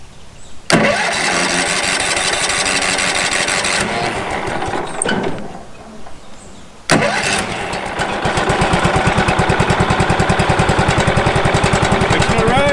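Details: Late-1990s Wood-Mizer LT15 sawmill engine, long-stored, after maintenance and a hand-tightened fitting/washer of uncertain condition: a couple of pulls, then catches and settles into steady even rapid thump, no misses: normal running.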